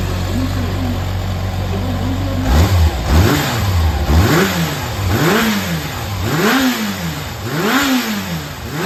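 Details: Yamaha XJR400 (4HM early model) inline-four engine assembly, high compression measured, no abnormal noise or white smoke: idle, repeated clean blips, return to steady idle without knock or rattle; healthy.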